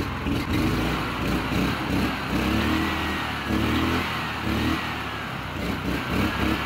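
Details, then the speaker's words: Honda GX340 11 hp single-cylinder engine, carb and tank cleaned, unmounted and vibrating on concrete: steady mid-pitched thrum at even speed with rattle from the loose base. Normal running. "how's that how's that we got it running 1111 horsepower of Honda it's about as much more power than all the rest of my Honda cars"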